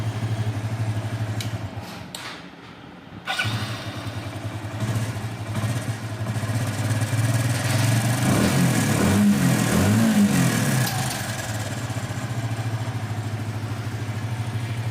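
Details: Hero Splendor iSmart 110 after timing chain repair with timing marks checked: starts on the button and settles into an even, steady single-cylinder idle with no chain rattle or top-end clatter; normal idle.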